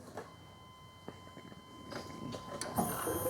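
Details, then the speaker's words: 1997 GMC 1500 5.7L Vortec after fuel pump and clogged fuel filter replacement, key-on engine-off test; thin, steady high pump whine for about five seconds then shuts off, holding pressure: normal fuel pump priming. "to test it we're going to do a key on engine off test should hold pressure you should hear the pump whine for about five seconds then it'll kick off"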